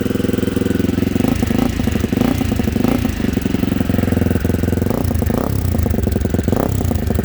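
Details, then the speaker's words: 1987 Honda XL250R single-cylinder (RFVC) barn find started after sitting for years, cold with light revs: a steady, even thump at a brisk idle with no knocks or rattles; the engine sounds healthy and unusually quiet. "great engines nice and quiet she runs good very powerful sounds really good the engine's so quiet normally they're a lot noisier"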